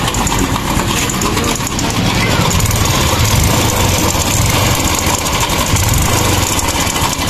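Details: Honda Wave 110 / XRM 110 motorcycle idling with a loud, fast metallic clatter; slack cam chain from a loose tensioner and a broken chain guide, both to be replaced.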